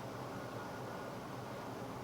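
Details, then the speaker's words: V8 with Autolite 4100 carburetor, before a spark plug wire cylinder-isolation test: low, even idle rumble with a smooth steady beat and no misses, running on all eight cylinders; normal idle. "We're now going to start the engine. The engine's running on all 8 cylinders just like it's supposed to be."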